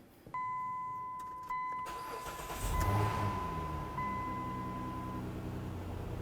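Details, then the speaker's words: 2009-2020 Dodge Journey first start after water pump replacement and coolant refill: key-on chime, brief crank, then the engine catches and idles smooth and even; normal start and idle, run only a few seconds before rechecking the serpentine belt. "Oh yeah, listen to that baby purr."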